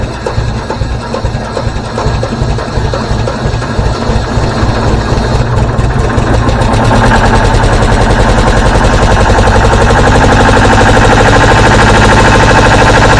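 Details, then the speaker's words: Deutz 1011 two-cylinder diesel on an air compressor: lumpy, uneven beats at idle, then louder but still rough; owner suspects a sticking valve, checking exhaust manifold temperature per cylinder before removing rocker cover. "doesn't that sound [Laughter] pretty we'll take this rocker cover off and see what's underneath of there something is absolutely Haywire"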